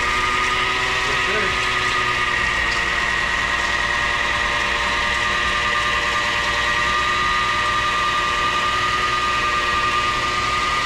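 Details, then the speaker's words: Lexus IS300 2JZ, first run after new engine and transmission mounts: steady even idle with faint high whine, no knocks or misses; only power steering fluid leaking. "Awesome, awesome, awesome. Oh yeah. Only thing leaking is power steering fluid. We're good to go, folks."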